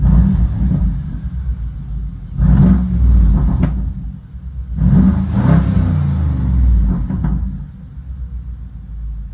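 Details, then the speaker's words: 2014 BMW 550i with N63TU 4.4 V8, after fuel injector and injector bore repair for a fuel leak and multiple-cylinder misfires, with codes cleared and the MAF sensor reconnected: deep V8 burble, blipped twice, revs climb and settle evenly with no stumble or misfire. "it threw like all these [Music] misfires sounds good sounds good burn like a kitten"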